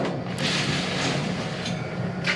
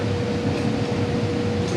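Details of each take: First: Condo furnace during routine maintenance, running fine but loud: steady blower drone with a coarse buzzing rattle about four beats a second; blower motor drawing 4 A, inducer 2 A, total 5.2 A; loose screws inside the unit vibrating, fixed by tightening. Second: Condo furnace after routine maintenance (loose screws tightened, filter changed, air leak sealed with foil tape): blower gives a smooth steady low rumble and even hum, no rattles; much quieter than before, normal operation.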